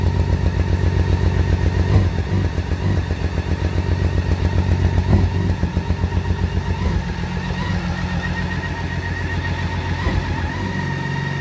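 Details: 2012 BMW K1600GT motorcycle idling with an uneven, stumbling beat; water ingress in spark plug holes of cylinders 1 and 3: engine misfire.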